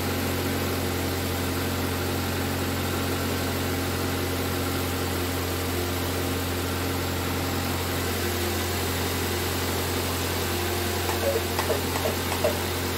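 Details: 2005 Toyota Corolla after P0304 misfire repair and valve cover gasket replacement (oil had leaked into spark plug wells): smooth even idle with no stumble or skipped beats; misfire gone, normal idle.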